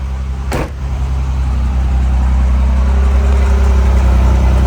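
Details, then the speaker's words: 1987 Pontiac Fiero GT at idle, heard near the tailpipes: deep, steady exhaust burble about 214 pulses a minute, even with no misses; healthy idle. "Oh yeah, what a great sound. Let's go give a listen back at the tail pipes to the sound coming out."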